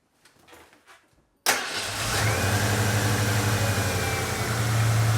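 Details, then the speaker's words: 1990 Ford Bronco Eddie Bauer after replacing the ignition module and distributor pickup coil for a hard/no start: cranks briefly, catches at once and settles into a smooth, even, low idle with no misses; healthy start and idle. "all right guys so she fires up real nice sounds healthy idle's really good"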